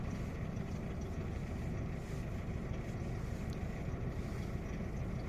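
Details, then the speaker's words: Opel/Vauxhall Astra J 1.4 with check engine light, shaking: low, uneven idle rumble with occasional soft stumble; scanner shows misfire count rising on cylinder 1, zero on cylinders 2–4; single ignition coil unit. "Selectăm toate Missfire 49. Și acuma la cilindrul unu tre cum cresc aici. Cresc, cresc, cresc."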